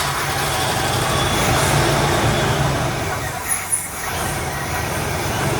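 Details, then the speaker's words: 1979 Camaro Rally Sport, 267 miles, sat 46 years; first start kept running on brake parts cleaner, no fuel delivery yet; deep, even V8 rumble, no knocks or misses, sounds healthy, smoky exhaust. "Now, the only way we can get it to stay running was through this brake bars cleaner. But it sounds good."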